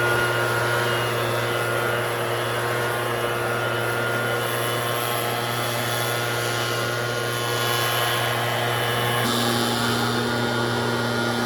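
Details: Red Max EBZ7100 two-stroke backpack blower under throttle, rescued from the dump with its missing fuel lines replaced and carburetor repaired. Steady, high buzzing note with a strong fan whoosh, holding speed evenly without stumbling; running healthy.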